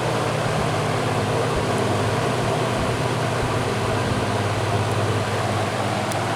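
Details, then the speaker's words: Old GE 20-inch box fan, model F17W12, on high: deep, even low-pitch hum with a smooth, steady airflow rush and no knocks or rattles. Normal running. "these old box fans they always give off that distinct low frequency sound to them I can come in a room with my eyes closed and know that yep that's the sound of an old box fan running"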